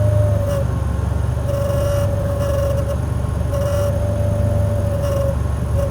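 A steady mid-pitched whine drops out briefly every second or two over a low engine hum; the AC is noisy, cause unclear.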